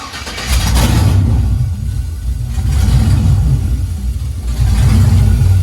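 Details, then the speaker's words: 2000 Camaro SS with junkyard 5.3 LS1 block and heads replacing knocking 6.0, spilled oil burning off; loud deep V8 holds steady idle and swells cleanly on blips, no knocks or ticks, sounds good. "actually it sounds good you actually sound good and back in a game banging the game all that oil that stuff just burning up that I spilled"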